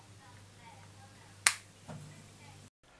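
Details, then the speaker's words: Atari Dig Dug cabaret arcade machine CRT, anode cap removed and cleaned with isopropyl alcohol but still arcing: faint hum, one sharp snapping crack, short sizzle; dielectric coating around anode cap suspected worn, needing repainting. "No, it's still arcing, but I can't see where from."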